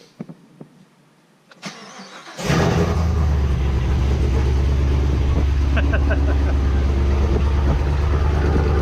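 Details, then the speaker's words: Camaro ZL1 V8, freshly built and not yet broken in, first run of about 15 seconds. Quiet cranking, then it bursts to life and settles into a loud, deep, evenly lumpy cold idle with no knocks or misses. Normal cold start. "It's too quiet for me. It hasn't broken in yet. We've only had it running for about 15 seconds maybe, and that's about it, you know?"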